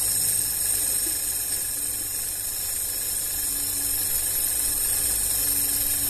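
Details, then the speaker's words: VW up! TSI idling with the air filter housing open and no filter fitted: a steady, loud airy hiss over a calm, even idle with no knocks, a normal idle with open-intake suction noise. "Ó, pessoal, o trabalho do motor tá legalzinho, ó, sereno, né? Tá esse barulhinho de aspiração aí, ó, mas é porque tá sem o filtro aqui, tá, ó."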